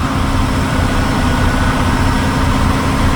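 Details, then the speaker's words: Class 1 truck pre-trip air build-up test at raised idle: steady even diesel drone, no knocks or surging; primary and secondary tanks reached 90 PSI in about 59 seconds, within 3 minutes; normal compressor build-up. "My primary tanks at 90 PSI. So, it took about 59 seconds for me to reach the appropriate air pressure."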